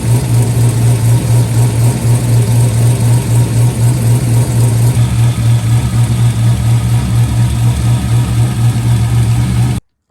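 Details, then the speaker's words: C5 Corvette V8 with a freshly installed BTR cam, just past break-in: loud lumpy idle with a fast steady tick over the exhaust pulses; owner suspects a header exhaust leak from headers disturbed during the cam install. "I think we're chasing a little bit of an exhaust leak at the headers too."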